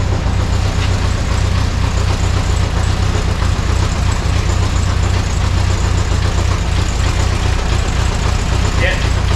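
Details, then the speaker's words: VW Beetle air-cooled engine after rebuild and cam timing correction, timing set, during break-in heat cycles with 40 psi oil pressure: steady idle with a light, uneven tapping knock as the alternator cooling fan rubs the fan shroud. "It bugs me because the cooling fan on this alternator is hitting the fan shroud, making a knocking noise"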